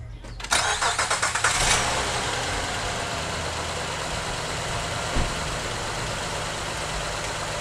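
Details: 2007 Honda Pilot, first generation, with lawnmower-like popping and a bank 1 sensor 1 O2 code, after fitting a used ignition coil: quick cranking, then it fires and settles to a steady, even idle with no popping.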